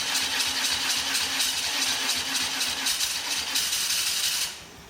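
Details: 1989 Hoverstar 2+2 hovercraft with BMW engine conversion, running in the hull after redoing front engine mount: catches quickly and runs at an even, steady idle under a loud airy hiss, no knocks or misses.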